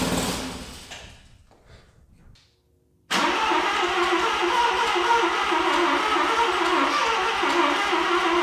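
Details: Mazda RX7 FB rotary, first start after refueling with fresh regular gas, heavy smoke: uneven cranking sputters and dies, then catches into steady beat about four per second; flooded engine clearing.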